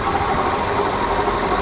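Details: VW Polo engine at idle: a faint continuous rubbing whir on the right side, over normal valve ticking. It began two days earlier; owner was told an idler roller bearing failed and suspects the water pump. Cause not confirmed.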